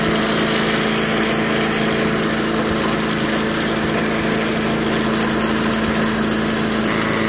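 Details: 1991 all-steel MTD 8hp chipper/shredder, a dump find with a Tecumseh HM80 cast-iron-sleeve engine, running after a new wheel and carb adjustment. Loud, steady single-cylinder roar holding speed while chewing material; pulls evenly under load and sounds healthy.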